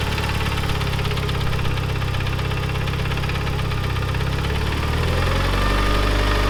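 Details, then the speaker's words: Neglected Mitsubishi Evo 9 turbo four idling with a fast light tick, about two per second; mechanic blamed timing belt tensioner, but hydraulic lifters suspected though reportedly replaced; cause not pinned down. "To me, it sounds like, so these are hydraulic lifters for the valves. I thought it was that too, and they replaced them."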